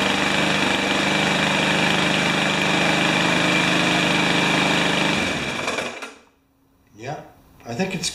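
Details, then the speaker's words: Remington mower with a Powermore engine running with a fast busy rattle of about 3.5 beats a second until it dies; the owner suspects something bad inside the engine, a 'death rattle', though it runs well once started. "still rattling that is bad though give her some more juice to drink in fact we could put this right back here like that and then we can play more i think it's maybe got something bad going on inside"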